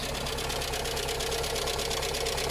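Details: Skoda, likely a Fabia, with Skoda engine (not VW-derived), at idle: crisp, rapid, even ticking over a smooth idle; hydraulic lifter tick, lifters tapping because coolant has got into the oil through the head gasket.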